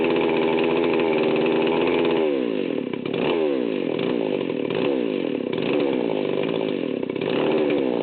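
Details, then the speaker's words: 038 Magnum chainsaw, fully assembled, at startup with the low-speed needle backed out too far. Idle around 2,900 rpm (target about 3,000–3,300) sags and recovers unevenly, nearly dying: low-speed mixture far too rich. "okay so I had the needles backed out way too far when I started this up and you can see it was pretty much dying right off the bat so it's running about 2,900"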